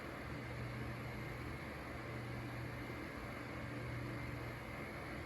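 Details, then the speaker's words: Mainstays 9-inch high-velocity fan on medium speed: steady low motor hum with a rough, grainy wash over it; loud bearing chatter from the rotor, cause not confirmed. "But there's a pretty loud bearing chatter and kind of a just a weird noise coming out of the rotor."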